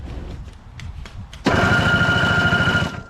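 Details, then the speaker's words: Toro CR20E single-stage two-stroke snowblower, on choke with a broken choke linkage: electric start button gives a steady fast whirring crank, about three beats a second with faint whine; starter works normally. "off on let's let's try the electric start let's just press this button wow works"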